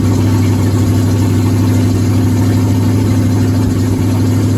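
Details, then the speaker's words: 1977 Ford F-150 with 351W V8 from a 1985 Bronco, cold start after fitting BBK 1515 shorty headers, no exhaust fitted: deep, loud, steady unmuffled idle with an even beat, no misfire or ticking; healthy. "alright guys so i'm about to do my first initial cold start haven't heard what it sounds like so you all be the first just like i would all right this is open headers i don't have my full exhaust brand yet"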